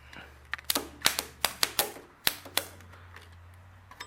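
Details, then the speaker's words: Ford 8N tractor starter tested with jumper cables from a known-good battery and a cleaned ground bolt: sharp, irregular clicks and clacks in quick bursts with no cranking rhythm; the starter tries to engage but fails to turn the engine. "I can hear her trying to engage, but she's not doing it, so something's going on with our starter."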